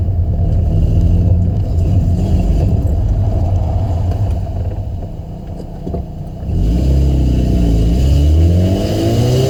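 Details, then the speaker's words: 2005 Saturn Ion, failed flex pipe leaking exhaust (new pipe bought): deep exhaust rumble rising with revs, uneven puffing and sputter on throttle changes, a sputtering backfire-type noise. "I don't know if you heard that, but it does kind of backfire in a way. It's not really backfiring, but kind of a sputtering."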